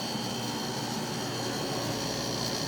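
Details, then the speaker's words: Haier dehumidifier on high: steady even whoosh of air with a faint high whine, no rattles or rubbing, refrigerant gas heard traveling through the lines; fan running normally. "I can hear gas traveling through the lines. Higher."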